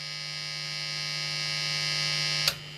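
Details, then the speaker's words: Strat with Lace Sensor pickups: steady low mains hum with a bright buzzy edge that cuts out abruptly when the nearby soldering iron is switched off. Typical single-coil induced hum, not a fault. "when I switch it off, it's gone. That's a typical single coil thing, and I'm not worried about it at all."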